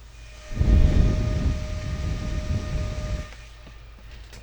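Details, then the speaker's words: Rigol DS1054Z oscilloscope after swapping in a Noctua fan, tested before final assembly: steady fairly high fan tone at constant pitch under brief low rumble; healthy fan, still clearly audible, normal running. "Let's uh give it a quick little test and see how loud it is compared to the old fan."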